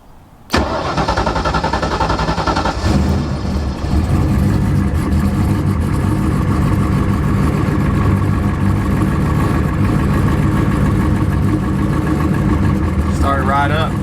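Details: Single-turbo 2-valve engine with Holley EFI and new setup: cranks briefly, catches at once and settles into a steady, even lumpy idle with no knocks or misses. A healthy start.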